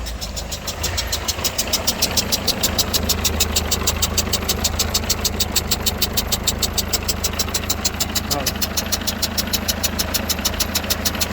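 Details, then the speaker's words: Peugeot Partner 1.6 HDi diesel (90 or 110) idling, heard from a distance: a sharp, regular chuffing tick about twice a second. A worn injector seal is letting compression leak past the injector. "En fait, c'était un injecteur. C'est un injecteur et il y a des joints il y a des joints avec le temps que ça s'use. Et quand ça s'use, ça crée cette fuite là. C'est une fuite de compression."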